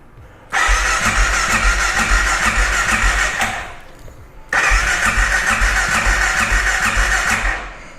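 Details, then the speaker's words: 2012 Honda XR650L, FMF Q4 exhaust, indoors after valve adjustment done for valve ticking: two long electric-start cranking bursts with even compressions but it never catches; owner thinks he ran the carburetor out of gas. "I ran the gas out of it I don't remember let's hook this back up I think I must have because I usually do"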